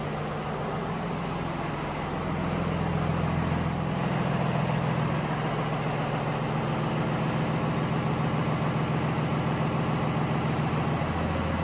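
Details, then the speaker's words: Freightliner M2 diesel idling after replacing suspension control valves, heard from underneath: steady even idle, air tank still filling, no hiss or air bleeding; new valves holding, no air leak. "I don't hear it all making racket down here. I hear the I hear the a tank filling up. So, by now, this would have been bleeding, making a racket. So, I think we're good."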